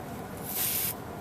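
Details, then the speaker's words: Daikin packaged unit with a failed unloader coil: a thin, sharp hiss rises for about half a second as gas escapes from a refrigerant pipe where rubbing likely caused the leak, more likely on the smaller pipe; later pinched off. "which side is leaking whether it's I would have thought it'd be more likely to be the smaller"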